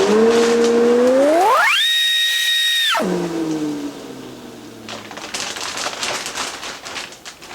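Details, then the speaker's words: Shopmaster DC3300 dust collector after bag replacement, run without hose: motor spins up with clean rising whine, levels off steady, coasts down smoothly; works normally. "So let's plug this thing in, and I'm going to fire it up without the hose on"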